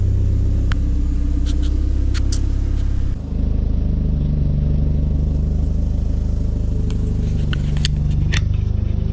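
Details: Renault Megane 2 RS (F4RT) warm after fitting CLM Racing sport catalytic converter, full-tube exhaust behind: deep steady idle burble, short dip, then smooth even revving, no rattles or leaks; healthy sport exhaust.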